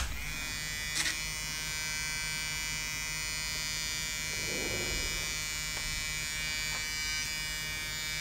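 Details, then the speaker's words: Floppy drive of an old Toshiba Satellite Pro CDT440 laptop, opened, disk inserted and accessed: thin steady high-pitched motor buzz with no rhythmic disk rotation. Belt seems only to vibrate, not spin. Slipping drive belt that seems to need tension. "and it's very hard to see if the actual belt is spinning or not i don't think it's spinning i think it's only well vibrating"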